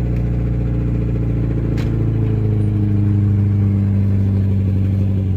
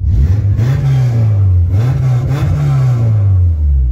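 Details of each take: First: Subaru daily driver with a Tsudo exhaust and no muffler fitted, before a cheap Thrush turbo muffler is added; deep booming drone swelling loudly with each rev and harsh at idle, described as obnoxious; loud exhaust without muffler. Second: Subaru (still smokes a bit) after fitting a cheap Thrush turbo muffler via adapter to the previously too-loud exhaust; deep smooth rumble rising and falling with throttle blips, no rasp or rattle, slight rubbing noted. Normal exhaust note.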